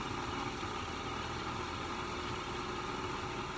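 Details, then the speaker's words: STA-RITE Max E Glas II pool pump restarted after repair: even, steady motor hum with a constant whine and no grinding or knocking, pump running smoothly. "the pump is spinning"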